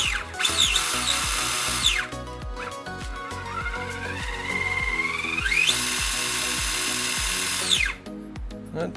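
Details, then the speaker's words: RC crawler (Vanquish VS4-10, Hobbywing Fusion SE brushless motor, VFD Twin transmission): high whine climbing with motor speed; spur gear slipped back after clocking and meshed too tight, then readjusted; gear mesh too tight. "It turned out that that spur gear, for some reason, it just when I clocked it, it must have adjusted again back to where it was, and that was just too tight, so now we got it perfect."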